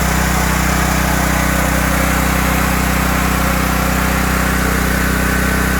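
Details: 5000-watt Briggs and Stratton generator with five hours run-time, after a no-start repair: stuck choke freed, Huayi carb cleaned, gummed float needle valve cleaned and its spring replaced. Steady, even drone with a smooth regular beat, no misses or hunting; normal running.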